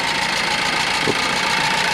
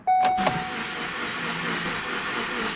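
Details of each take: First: Ford Focus engine just reinstalled with transmission, long-sitting and hard to start after about ten tries (injectors possibly dried up), fuel primed: steady, even mid-pitched idle with no clear knock or misfire as it settles. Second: Ford Focus after engine and transmission reinstallation, first start with oil, coolant and transmission fluid in: steady starter churning about three pulses a second, never catches; cranks but no start after about 10 tries; owner suspects injectors dried up from sitting.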